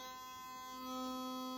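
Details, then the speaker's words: Sonicare HX682P electric toothbrush, a couple of years old, after fixing a loud, rattly, wobbly head by reseating the gasket and head: clean, steady high buzz at constant pitch with no rattle; normal running. "Remember what it sounded like before? All rattly and everything? It now works."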